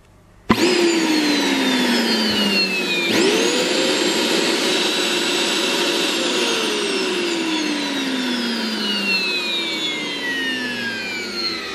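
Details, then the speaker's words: SEG 1600 W vacuum cleaner with a water filter, tested after repair once the brushes were checked and refitted. The motor rises sharply to a steady high whine, then runs smooth and even with no grinding or sputtering. Normal operation. "все всё работает осталось только собрать"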